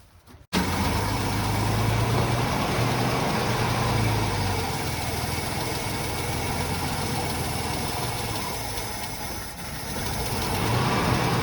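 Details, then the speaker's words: 1973 Ford Maverick petrol V8 that sat for 18 years starts and settles into an uneven, lumpy idle with a noticeable miss. A vacuum leak is suspected; the transmission engages forward and reverse fine. "Okay, we're done. Success. This thing runs. It's got a vacuum leak."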